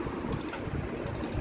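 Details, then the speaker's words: Gas stove auto igniter after repair, faulty spark unit removed: two short bursts of rapid, crisp, even ticking with clean regular clicks; the spark now fires properly. "ঠিক আছে, এই যে স্পার্কটা এখন হইতেছে, স্পার্কটা এখন এটা সহকারে যাতে এটাও দেখা যায় আমাকে একসাথে।"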